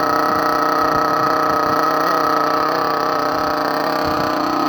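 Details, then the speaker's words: Thunder Tiger EB4 S2 nitro RC car with aftermarket exhaust, warming up after a cold-weather start: very loud, high-pitched buzzing idle holding steady with no misses or surging. Owner thinks it is running slightly rich; otherwise it runs fine. "Anyway, so it's started, it's going to warm up, you can hear how it sounds, and I'm having to shout pretty loud at the moment because this car is extremely loud. Especially with the aftermarket exhaust on it, it's extremely loud."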